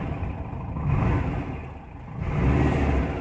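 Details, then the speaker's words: Cold start on IDF carburettors after testing to remove hesitations: two clean throttle blips rise and fall smoothly with no pops, no bogging, very responsive; normal cold-engine throttle response. "no pops zero pops very responsive"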